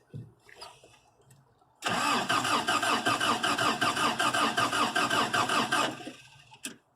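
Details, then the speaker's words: 3rd-gen Toyota pickup, fresh battery, new fuel pump installed, fuel confirmed at line and spark seen earlier: about four seconds of steady cranking around two and a half beats a second, never catches; cranks but won't start. "nothing okay so we know we have fuel and we had spark earlier"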